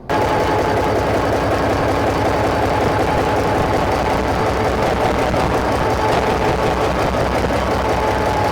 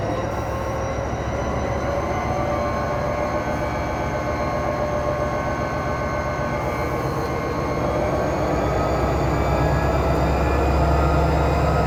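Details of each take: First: SD45-2 locomotive diesel started outside with previously stuck injectors left disconnected: heavy loud idle with uneven lumpy beats about three a second from cylinders not firing. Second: SD45-2 locomotive 8954 after freeing stuck fuel injectors, all injectors reconnected: heavy diesel rising smoothly to 8th notch in self-load, steady drone, no misses or knocks; normal running.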